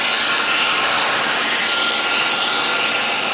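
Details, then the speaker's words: 20-year-old electric vacuum pump on a player piano whose valves and striker pneumatics were never rebuilt: loud steady rushing-air hiss over motor hum, demonstrating heavy leakage spread as many small leaks throughout the mechanism. "because all of this leakage that you hear that's right here this is actually occurring throughout the entire mechanism of the player piano so it's a lot of little leaks"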